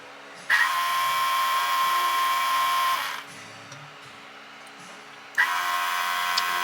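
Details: Edelbrock 1791 adjustable electric fuel pump on an old car/truck with an Edelbrock carb, priming, with pressure just under 5 psi before adjustment: a steady, high whirring buzz that stops and restarts evenly, sounding healthy.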